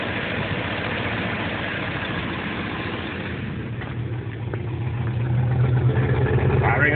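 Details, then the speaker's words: 2WD Suburban with 5.3 V8 at cold start after a freezing night: lumpy, uneven idle about three beats a second, picking up toward the end; owner suspects an intake gasket problem plus an exhaust leak. "Sounds like an exhaust leak on top of everything else."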